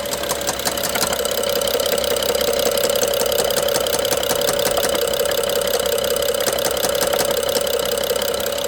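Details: BMW F07 with N55 engine: light fast ticking about three per second over steady engine note with faint whine, top-end rattle loudest by cylinder 1 injector and mid-top connector; worse with more throttle, intermittently stops 3 seconds; timing chain inspected OK; cause unknown.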